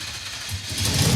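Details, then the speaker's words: Mazda mini truck engine swap ("Mazdarati 2.0") cranked after the fuel pump was grounded, while still on an E85 tune running gas. The cranking rhythm turns into firing that builds over a second as the engine catches and nearly runs. "That wants to run."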